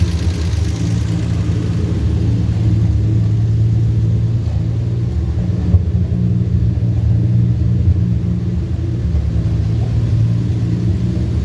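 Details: 1949 Studebaker carbureted engine, hard-start complaint, started after a couple of throttle pumps: smooth even idle, steady low rumble with no misses or knocks. Normal idle.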